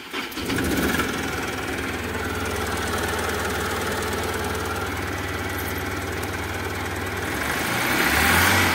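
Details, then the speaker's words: Mahindra Supro Maximo diesel after the improperly seated cylinder 2 injector coupler (code P0202) was reconnected and codes were cleared: the starter turns briefly, then the engine catches and settles into a steady, even idle with no trouble codes. Normal start. "तो friends हमारी गाड़ी है start हो चुकी है गाड़ी और इसके प्रॉब्लम यह कपलर निकला इसका इंजेक्टर का और कोड भी अभी कोई नहीं आ रहा है और गाड़ी स्टार्ट है"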